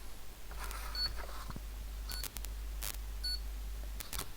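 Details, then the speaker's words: PC power supply with PFC on a PSU tester, bulb limiter switched out: short high beeps repeating about once a second, flagging the 12 V rail missing because the four-pin connector isn't plugged in. "saying the 12 volt that's because i haven't got the the four-way pulled in"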